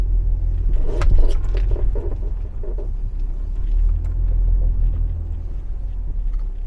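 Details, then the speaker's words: 2015 Audi A4 at 83,000 km, road test down a slope, worse when cold: short runs of rubbery creaks under a low rumble on both sides as the body moves over bumps and braking; worn control arm bushings rubbing. "下一下，听见了吧？两边都响。就像胶套在那摩擦的。"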